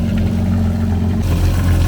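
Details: 2013 Yamaha WaveRunner VXR 1800HO with 15 hours, idling during winterizing with water flowing out of the engine discharge: smooth, even low idle with a soft watery gurgle; the cooling system is getting water normally.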